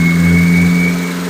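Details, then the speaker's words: First start of an engine built by a first-time builder, after two semi-failed break-in attempts and a starter fix, cranked with a screwdriver: catches and settles into a steady, even idle with no knocks or misfires; valves still need readjusting and small leaks fixing. "at least it's a runner sounds good got to readjust the valves but otherwise and fix a couple little leaks"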